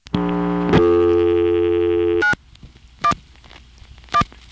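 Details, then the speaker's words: Senderized XY step exchange, Manassas VA, 1976, dialing 911: a steady chord of tones about two seconds, then clicking bursts a second apart as the register sender outpulses the last five digits of the local police number; normal. "that was from Occoquan here's the same thing from Manassas in 1976 and of course it's also dialing a local number which is the last five digits in this case"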